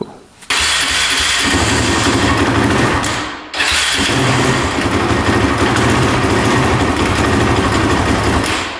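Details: Honda TRX450 quad that bogs and won't rev, on choke: starts, runs loud and uneven, dies and restarts with rattly chatter from the top end over idle; possibly flooding, cause unclear.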